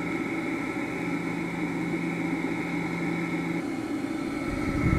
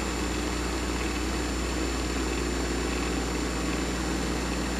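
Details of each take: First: Vintage electric motor (Dumore grinder or Westinghouse machine tool motor) on test with potential relay start: steady hum with faint rough whir and high whine; bearings sound tired and worn, otherwise quiet. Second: Vintage electric motor (1 hp Westinghouse or early Dumore) starting through a resistor current limiter with 1/6 of the resistor still in circuit: smooth, even hum at constant pitch, no knocks or surging; now reaches full speed, where with 30% it hit resonance and fell back.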